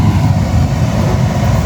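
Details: Mitsubishi Mirage G4 with a newly installed cheaper replacement A/C blower fan motor, running on speed 4 (highest). A loud, even air rush with a low hum and no scraping or ticking; it runs cleanly. The screws were left slightly loose because fully tightening them made it rub.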